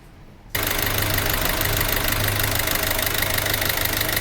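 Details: Peugeot 308 1.6 HDi 8v diesel with Continental injection, recorded before teardown; engine catches and settles into idle with a loose, uneven tapping about three times a second over the clatter, traced to a damaged, over-siliconed vacuum pump.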